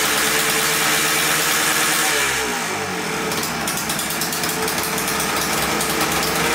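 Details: 1989 Yamaha Blaster 200cc two-stroke quad, first start after rebuild with oil pump primed: raspy idle, then revs climb and hang high on their own; surging idle, owner suspects air leak, carb cleaner spray around carb and flywheel found nothing.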